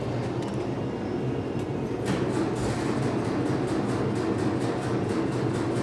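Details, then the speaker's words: 1966 VW Type 3 Fastback that doesn't run after restoration work: steady starter churn with even compression pulses, briefly trying to fire but never catching. Fuel is confirmed flowing into the filter and pump, so the fuel pump works. "you heard it it tried to fire and yeah there's fuel flowing up into uh the filter or into the pump in general"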